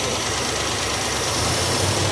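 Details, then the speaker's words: 1967 Barracuda V8 with valves needing lashing, running on all eight: loud, lumpy, uneven idle with slight stumbles under the exhaust rumble. Plugs and leads are suspected; the accelerator pump isn't working and it's leaning out slightly. Rough idle, cause unconfirmed. "Still a bit rocky, though. though. Could be just plugs now maybe and leads."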